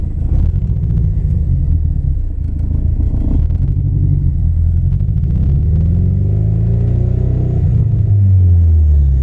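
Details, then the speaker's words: Saturn Sky after replacing the fan control module for overheating, on test drive: lumpy uneven low rumble with stumbling beat and wavering revs, flashing engine light, steering wheel shaking; seems to run on three cylinders, cause unknown. "Sounds like it's broken, which is terrible because I thought we were fixing it, but I guess we're just finding out more and more problems the more we try to fix it. So sounds like it's running on 3 cylinders, which makes no sense."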